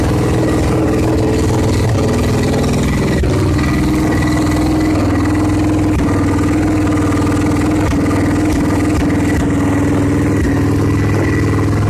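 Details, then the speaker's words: Victory motorcycle after an engine swap, fitted with a new blackout exhaust that has no mufflers. A loud, steady, even idle with a sharp open-pipe bark and no knocks or misses: normal idle. "at least it's the point where the bike can be run and it'll be probably pretty loud we can start it if y'all want to hear it run let's do that fire when ready oh"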